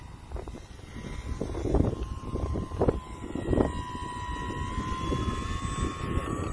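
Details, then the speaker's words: E-flite T-28 RC plane on a high-speed full-throttle pass into the wind: thin high whine holding and creeping upward over gusty wind; pilot suspects something loose or the prop rubbing, not confirmed. "oh i don't know if you guys can hear that but it was whining something crazy it's like hey we've been taking it easy today why are you pushing us so hard"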